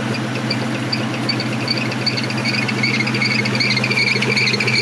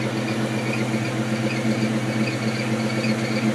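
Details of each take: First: 1997 Ford Mustang SVT Cobra at start-up, owner suspects the alternator pulley or moisture getting onto the engine: sharp high chirping squeal pulsing two to three times a second over a steady idle; belt squeal. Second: 1997 Ford Mustang SVT Cobra (four-valve 4.6) after spraying the squeaking belt with WD-40: steady, even idle with a smooth low rumble and no squeal or chirp; the belt noise has stopped for now; normal idle.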